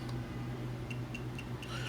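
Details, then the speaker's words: Fluke multimeter set to volts with a test lead in the wrong input jack gives quick high chirps, about four a second, over a low hum: its lead-alert warning, refusing to let you measure. "you hear that clicking that beeping actually you hear that fluke multimeter the fluke is telling you you have this in the wrong slot you're making a mistake"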